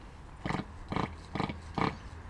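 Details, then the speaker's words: RC nitro engine unused about a month, hard to start; five short rough bursts, turns over but never fires; owner thinks it is a bit flooded with excess fuel. "sounds like it's trying to start but I think it's I think it's a bit flooded"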